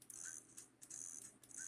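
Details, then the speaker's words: Nintendo DS Lite (metallic rose, bad top screen) from a 22-console eBay lot, shoulder triggers tested: crisp, light clicks about twice a second in a quiet room; normal shoulder button click, trigger working. "That's the trigger working. And that's the other trigger working."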